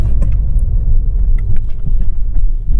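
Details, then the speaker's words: Lada Vesta after replacing stabilizer bar bushings and lower engine mount, window closed: low even rumble over a speed bump with no squeak or creak; suspension squeaks present before are gone. "отлично не было скрипа сейчас туда обратно ездил до этого были скрипы"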